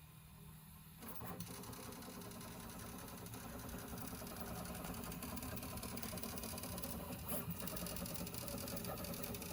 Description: This printer is generally very quiet, but it has started to become noisy when printing infill.